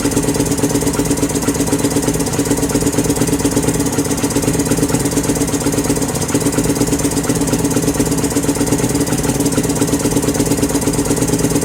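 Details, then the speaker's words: 2018 Lance Cali Classic 125cc scooter, found not running with mice in the airbox; fast, uneven put-put with no settled idle. Smells rich; carburetor has no adjustment, owner suspects plugged jets and plans a new carburetor. "I think got a winner except for the fact that not doing that not on idle I need a new carburetor"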